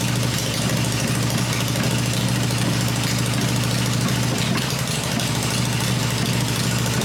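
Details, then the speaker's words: Freshly built Harley Evo V-twin on a test stand, exhaust pipes covered to hear the engine mechanically, during a one-minute run cycle: lumpy idle with even beat of about three pulses a second, no knocking; normal healthy idle. "it's fired up it's running the engine's smooth I cover the exhaust pipes up and that way I can hear everything in the engine working without listening to the exhaust this motor sounds really good I'm really pleased"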